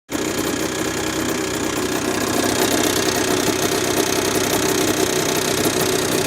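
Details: Honda NSR50 two-stroke with bored-up Daytona 62.9cc cylinder: steady running with fast, irregular metallic knock about four per second; owner suspects crank big end or balancer bearing, persisted after inspecting and reassembling other parts.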